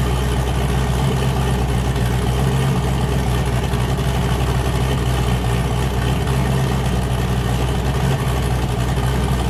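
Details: Boosted car "James Brown", new cam fitted after a 23 psi pull blew a coupler off, freshly started: deep, steady lumpy idle chopping about four times a second, all cylinders firing evenly. Normal lopey cam idle.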